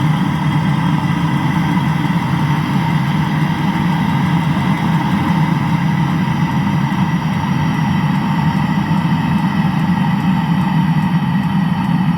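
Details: Land Rover engine after cylinder block repair: an even, steady idle with a smooth low rumble and no knocks, ticks or hunting. The engine is running healthy.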